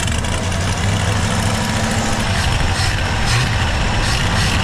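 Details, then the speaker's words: Ford 460 V8 auction truck revived, fuel pump now feeding the carb without a bottle: loud, steady, even rumble with no misses, knocks or surging; idling smoothly. Some smoke is expected from oil poured into the carb. "Running mint. I think I've said that 100 times so far, but I think I mean it this time. Old 460. 10 out of 10."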